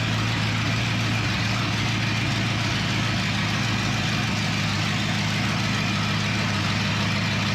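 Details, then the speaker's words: 1962 Mercury Monterey, freshly rebuilt 390 FE V8 with new cam, held at 2,000 RPM for 15-minute cam break-in: steady even rumble with smooth low beat, no knocks or ticks; running fine. "yeah I think it sounded fine man wow cool love it"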